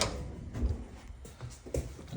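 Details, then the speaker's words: Jeep J20 clutch pedal worked in a quiet cab: a few dull, irregular clunks, with pedal play over 1.5 inches. Owner suspects the pivot bearing has popped out of the shift fork; cause unconfirmed. "it's plausible, quite plausible, that the damn bearing popped out of that shift fork, little pivot bearing, and that could be the clunky sound I'm hearing. It shouldn't be noisy like that, but who knows?"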